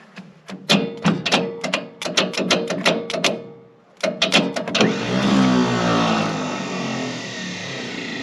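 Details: 1965 International 806 Wheatland diesel, sitting since 1995, being primed: slow even cranking near three beats a second with no firing. Fuel delivery still priming; ether considered.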